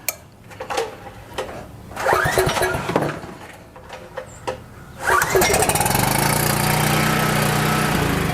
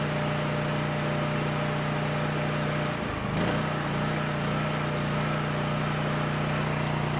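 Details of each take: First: Coleman PowerMate 6560 generator with rebuilt carburetor, started on choke: a few pulls, catches, runs unevenly about five seconds then dies; runs only on choke due to an air leak at the carburetor gaskets. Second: Coleman Powermate 6560 generator, after the fix for running only on choke (carburetor gaskets had been in the wrong order; oil was overfull and smelled of gas), under a 1000 W heater load: steady drone, constant low hum, no hunting or misfire; normal running.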